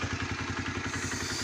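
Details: Honda CBR 125 (2004-2006) single idling before an oil change, fairing removed: quick, even putter of about ten beats a second, steady and clean, warming up healthily; normal idle.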